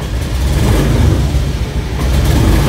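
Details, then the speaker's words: Honda Vario automatic scooter with intermittent sputtering: the engine stumbles unevenly as throttle opens and tops out straining at 40–60. The cause is a weak fuel pump, checked by listening to and tapping the pump. "Jadi dia agak berbet teman-teman. Otomatis ini teman-teman kalau kita lari paling mentok itu di antara 40 sampai 60, itu pun udah capek sekali kalau udah sampai 60 ya teman-teman."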